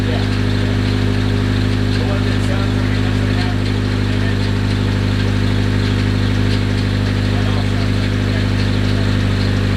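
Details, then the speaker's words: Rebuilt KA24DET, fresh engine, at idle: a light, quick tick about four per second over the hum, suspected lifter tick but unconfirmed. "I know it sounds like lifter tick it probably is lifter tick it's just pretty gnarly"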